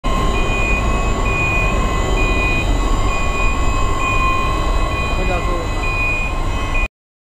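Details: Worn wheel bearing on a gantry (travelling) crane: deep rumble under a steady whine with the travel alarm beeping.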